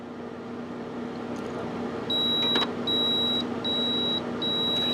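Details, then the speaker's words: Epson XP420/XP320/XP424 printer with CISS after reseating cartridges: four short high beeps over a faint mechanism hum as it reports the cyan cartridge not recognized, likely not fully seated. "now it's saying I can't recognize the cyan okay there again we'll go to okay that means my cyan's not in"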